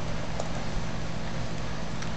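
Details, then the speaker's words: Lennox XP14 heat pump, installed 2008 and about three years in service, in heating mode at full output with the fan turning: low, steady hum and even fan whoosh, no rattles, grinding or cycling. This is normal, quiet operation. "it's the Lan xp14 it's running it's in heating mode you see the fan turning up above this is full out in heating as loud as it"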